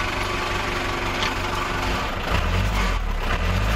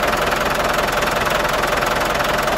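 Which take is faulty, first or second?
second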